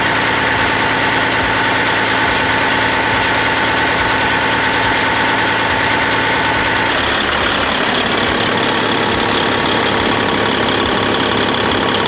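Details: 1998 Freightliner Classic, Cat 3406E diesel, after replacing injectors and cups (fix for fuel dumping into oil at idle), injectors set at 52.32, fresh oil, 68 psi oil pressure: steady smooth low idle clatter, no misfire or lope; normal idle.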